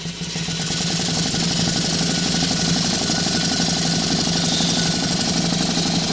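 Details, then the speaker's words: Stuart 4 steam engine under live steam at 13 psi, cranked up in speed, exhausting into an old propane tank chuff pot: fast steady chuffing about four beats a second with hissing exhaust, even and unbroken; normal running. "sure puts out a lot of steam it's just an old propane tank or chuff pot there"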